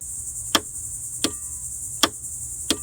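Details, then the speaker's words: Car starter, key turned repeatedly: four sharp single clicks about 0.7 s apart, no cranking; sound from the starter solenoid, likely solenoid working but motor brushes failing or motor not getting power, sometimes weak battery; single click no crank. "So the next sound you'll hear when you try to start the car is a single click every time you try to turn the key, and it'll be coming from under the"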